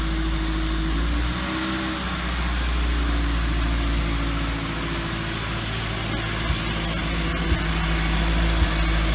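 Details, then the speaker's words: Toyota 2ZZ-GE engine reinstalled in MR2 Spyder, first start after reinstall: steady, even low idle hum with no misses or knocks; much better than previous rough attempt, sounds perfect. "sound good right like a good sounds perfect"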